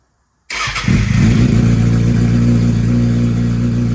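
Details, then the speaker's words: Salvage motorcycle with a new battery and an M4 shorty exhaust, previously straight-piped, started cold before warm-up: catches instantly and settles into a steady, deep, even idle, quieter than before; normal start-up and idle. "Not as loud as it was being straight pipe before. I like that."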